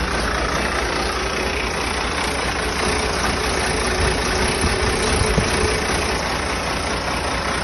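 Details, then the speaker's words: First start of a freshly rebuilt diesel engine, oil pressure holding: steady, even diesel clatter at a settled idle with no misses, knocks or bangs; started easily, running healthy apart from a leaking injector pipe. "Sweet. Well, pretty good. Pretty good. Pretty happy with that."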